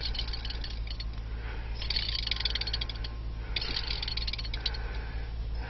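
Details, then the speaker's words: 2008 Mazda Tribute (Ford Escape) 3.0L V6, serpentine belt off, 15 cm idler pulley spun by hand: gritty, scratchy rattle in uneven bursts. Defective bearing, replaced with a 203-FF bearing. Idler pulley bearing roughness. "Okay, I found the bearing in this pulley is defective."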